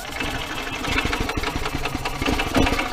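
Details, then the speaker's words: Yamaha golf cart that cranks but won't start: steady starter churning with sputters that never catch because a broken throttle cable leaves the throttle unopened when the pedal is pressed. "So the power's turning it on for the electrical side to kick the starter on, and it'll turn over and turn over and turn over."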